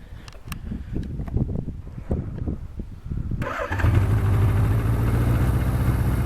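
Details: 1976 Suzuki GS750 four-cylinder four-stroke, pre-production dealer demonstrator, unit 434, built July 1976: handling noise, then fires cleanly at about 3.5 s and settles into a smooth, even idle; healthy start.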